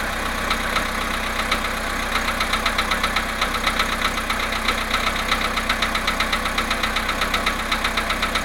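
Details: VW Polo Sedan, 17,937 km, cold start after sitting 19 hours at +1.5 °C: cold idle with a sharp, even tick-knock about four times a second over the engine note; cold-start engine knock, cause unclear.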